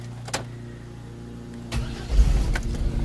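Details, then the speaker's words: 2000 GMC Safari 4.3 Vortec V6 that stalled or wouldn't start in damp weather, after adding a ground wire to the ignition coil circuit: brief crank, then it catches at once and settles into a steady, even idle; starts cleanly. "right up starts right up so if you have that same issue just give what I did a shot"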